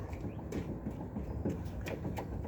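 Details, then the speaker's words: Mercedes W204 front wheel turned slowly by hand: sharp, uneven ticks about every third of a second, still present with wheel on, not the brake disc; loose worn wheel bearing, gone after tightening adjustment slightly. "Some people would say, oh, but it's the brake disc maybe, but now with the wheel on, it still makes that sound. So if I adjust the bearing just a little bit tighter, God, the sound is gone now."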